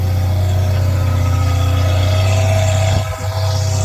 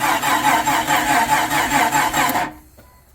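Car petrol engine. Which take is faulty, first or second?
second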